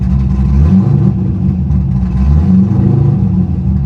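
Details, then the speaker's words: Manual-clutch V8 car at a salvage auction idling with a deep, lumpy, loping, jerky beat that smooths out as soon as a little throttle is added. The cause is unconfirmed; a cam, or the missing cold air intake, is suspected. "oh wow um boys we got a winner here oh my goodness guys the way this car lopes it's it the car is jerky but as soon as you get a little throttle"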